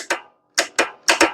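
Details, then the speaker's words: Hustler zero-turn mower, Briggs & Stratton engine, no-start diagnosis: sharp, crisp, firm clicks from the starter solenoid as the key is turned, showing the switched wire gets power and the solenoid and safety switch are fine; the engine was later found seized from sitting. "now are we getting power at the switched wire when you turn to keep we know it is because we hear it click"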